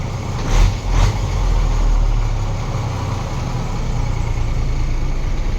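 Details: Pickup truck in original condition with a newly replaced battery, idling: a low, smooth rumble with no knocks or stumbles; normal idle.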